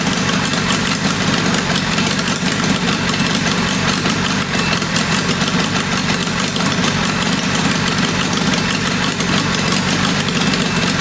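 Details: Military four-cylinder go-kart engine of roughly 525cc with a 22 Mikuni carb, test-fired after tuning: a loud, uneven idle with a lumpy, unsteady beat that never settles; rough idle, possibly ignition-related, not confirmed.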